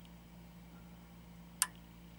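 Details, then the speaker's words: 1981 Thief arcade machine during sound-board repair: a quiet hum with a sharp click as the relays switch on and off during gameplay; the relays work normally. "you can actually hear the relays clicking on and off at certain times"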